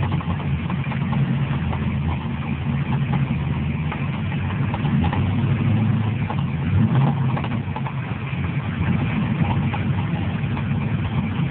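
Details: 2000 WS6 after long cranking with the coils unplugged had filled the cylinders with fuel, expected to clear itself. A rough, lumpy idle with faint irregular knocking over a heavy low rumble. Engine knock; cause suspected, not confirmed.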